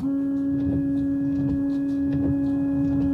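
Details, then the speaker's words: Car wipers after replacing the blades with Bosch Aerofit blades, on a rainy day: quiet regular swishes over the wet windshield, no longer chattering or making noise. "Eu só vou ligar aqui tá um dia chuvoso e você vê e não faz mais o barulho"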